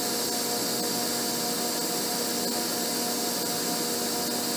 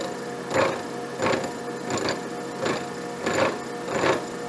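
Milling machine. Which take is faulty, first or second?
second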